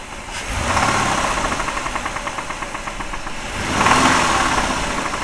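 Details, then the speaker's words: 2008 Ford Escape, 141,000 miles, oil 4,000 miles overdue, low oil, oil light on: rapid metallic knocking over the revving engine, staying hard through each rev; engine is finished and needs replacement. "Hear the knocking? That engine's done."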